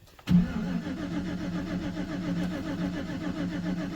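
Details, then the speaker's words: 2011 GMC Sierra, no-crank after a fuse was pulled over backup lights staying on: starter spins engine evenly but it never fires, no fuel pump prime hum beforehand; RPM signal present, suspected fuse panel fault. "got an RPM signal I didn't hear the fuel pump run"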